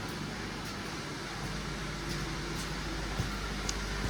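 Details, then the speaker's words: 2012 Honda Civic idling after a muffler adapter repair of the failed exhaust, which was loud before. Low, soft, steady exhaust with no blowing or rasp. The joint sounds sealed and the exhaust is back to normal. "That sounds exactly like it did before all this stuff fell apart on her."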